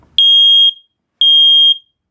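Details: Newly installed hardwired, interconnected ceiling smoke detector on AC power (green light on) pressed to test: two loud, piercing high beeps about half a second each with a clear gap. The alarm works, but the other interconnected alarms weren't heard sounding.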